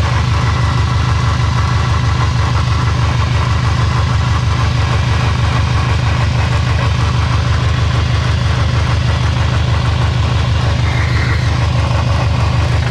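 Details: Subaru STI 6-speed on stands after loud drivetrain noise: heavy deep rumble pulsing about three times a second from the gearbox end as the drivetrain spins; gearbox or transfer case bearing failure suspected, not confirmed.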